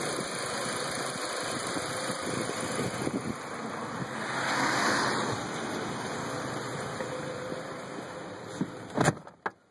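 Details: 2002 VW Passat 1.8T that intermittently starts then shuts off with engine light on: engine idling with an uneven, lumpy beat and wavering level that swells and dips before cutting off; rough idle, cause not yet known.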